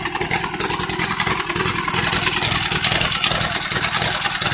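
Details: Neglected Allis-Chalmers CA tractor first run after a Marvel-Schebler carburetor rebuild; uneven stumbling beat about three to four pulses a second with gaps, a steady misfire, smokes a little but otherwise runs with good oil pressure.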